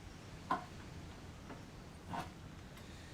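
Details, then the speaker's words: 1989 Kawasaki KX125 two-stroke turned over slowly, with sharp, isolated knocks about every second from the top end; exact cause unknown until head and barrel are removed, needs at least a new top end. "So the issue, I don't know exactly what's up, but it's a very strange knocking noise."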